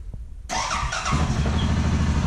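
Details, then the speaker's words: 2016 Suzuki KingQuad 750AXi ATV, fuel-injected so no choke; a short fuel pump priming whirr, then it catches at once and settles into a steady low idle. Starts normally. "so we turn it on you can hear the fuel pump prime green means go"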